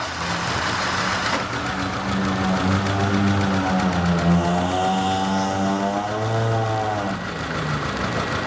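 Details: Home diagnosis of a 2003 Volkswagen Passat 1.8 Turbo engine running after cleaning electrical contacts: uneven, lumpy idle with a brief rev that rises and falls, still vibrating heavily; misfire traced to two faulty ignition coils.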